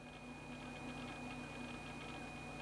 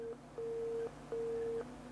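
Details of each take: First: Laptop just powered on after the chime: faint steady high whine over a low hum as the hard drive spins normally, though no screen display yet. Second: PowerBook G4 Titanium laptop at power-on: a hiss, then three steady beeps, no startup chime and no hard drive spin-up; three beeps suspected to mean a RAM issue, not confirmed.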